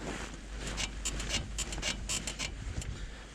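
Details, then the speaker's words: Lada Niva Travel, 28,000 km, squeaking since parking in deep snow. Irregular dry creaks about twice a second with each push as the body is rocked, felt by hand at the lower front ball joint; worn lower ball joint. "нижняя опора значит объясняю когда вы рукой держитесь если скрипы здесь соответственно вы почувствуете вибрации"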